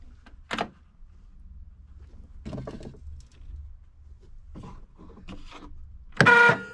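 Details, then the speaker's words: 2004 Polaris XC700 snowmobile, starter powered through the solenoid by a 20 V 5 Ah battery: short bursts of free, light electric whir with no cranking load; starter spins without engaging the engine, ring gear on primary clutch not yet installed. "Oh, that doesn't sound good. Well, solenoid works, starter works, but what the heck does it spin?"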